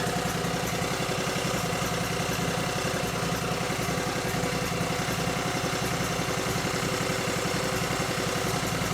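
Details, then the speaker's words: Cub Cadet 3205 garden tractor (3000 series, Kawasaki engine) idling and warming up after charge pump replacement (new HG-50761 gerotor, double shim style); steady, even putter, no knocks or surging; fluid warming, no leaks found; normal idle. "Let it sit there and idle a little bit and warm up. Let the fluid get nice and hot and make sure there's no leaks, but I think we're good."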